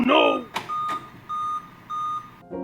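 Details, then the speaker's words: Laptop giving evenly spaced high beeps, about one every 0.6 s in groups of five, repeating even during use and after moving RAM to the lower slot; ChatGPT attributed the five-beep POST code to a dead motherboard CMOS battery. "இப்போ beep sound பார்த்தீங்கன்னா 5 முறை கரெக்டாக வருது. 5 பீப்பாக. ChatGPT கிட்ட இந்த மாதிரி 5 முறை beep வருதுன்னு சொல்லிட்டு கரெக்டாக தெளிவாக போட்டேன்."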